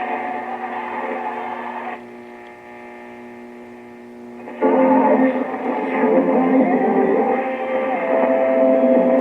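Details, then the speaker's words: 1925 RCA Radiola 20 TRF radio under repair: steady low ringing hum over playback, microphonics where cabinet resonance vibrates the tubes, causing feedback and oscillation. "hmm uh hear that hum that's the vibration of the tubes it's called microphonics the vibrating of the tubes from the base of the radio is causing the cabinet to resonate and it makes the tubes vibrate"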